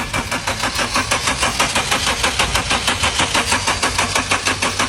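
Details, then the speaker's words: Car that won't start despite throttle valve cleaning and spark plug and ignition coil checks: steady starter cranking at about 1.5 pulses a second that never catches; no-start traced to a clogged intake pressure (MAP) sensor. "this car won't start no matter what do you know the reason"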